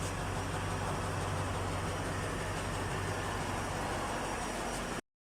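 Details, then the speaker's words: 2015 Toyota Sequoia that cranked but would not start, after replacing the faulty fuel pump control module (no supply to pump): engine catches and settles into steady, even low rumble; starts and runs normally. "So let's try to start the car. It is work."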